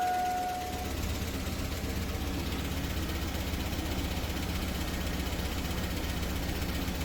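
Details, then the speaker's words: 2002 Chevy 2500 6.0L Vortec 2WD at startup with a gauge in the oil pressure sensor port: light fast tick over a rough idle with only about 15 psi oil pressure; suspected low pressure, possibly leaking from the homemade fitting. "Hear it ticking. So we do have some pressure. It's like 15 pounds."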